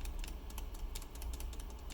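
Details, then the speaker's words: Original shift-key stabilizer design on a Riskeyboard 70: uneven, clacky taps with a loose rattle; the key leans because the stabilizer stem is too thin. "let's start with the original stabilizer design which i still have on shift over here you can hear it"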